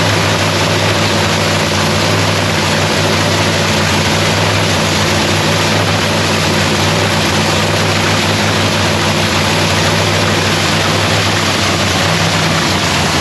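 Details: Lexus race car's first start of the season in shop paint booth; engine settles into a steady, even roar with smooth low drone and no knocks or misses; sounds beautiful, normal idle.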